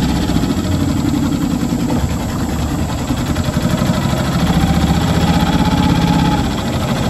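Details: New Hangkai 6.5 hp four-stroke outboard on a 10-foot jon boat under way: steady, even low drone holding speed, no misses or knocks; runs healthy.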